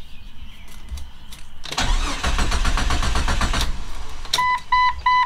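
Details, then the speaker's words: 25-year-old Jeep Cherokee XJ after a new exhaust at a muffler shop: starter cranks about two seconds but the engine won't fire, and no fuel pump prime is heard. "okay I'm seriously not sure what's going on now because now we have uh crank no start I didn't hear the fuel pump"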